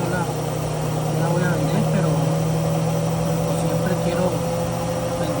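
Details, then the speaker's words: GE washing machine on spin after repair; the earlier spin noise came from the motor bearing, not the tub bearing, and was cured by fitting a new S62 bearing; now a steady smooth low hum with no rubbing or grinding, normal spin. "Entonces, como ven, me estando un poquito más de tardé un poquito al quitarlo, pero pues lo quité y valió la pena. Miren, quedó serita la máquina."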